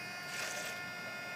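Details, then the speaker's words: 2008 BMW 535xi twin-turbo straight-six after turbo replacement, bleeding the cooling system with funnel at reservoir: watery hiss, gurgling and sloshing as air bubbles purge; air in cooling system. "you'll notice here you'll hear the sloshing a notice the air bubbles coming out I am currently bleeding cooling system"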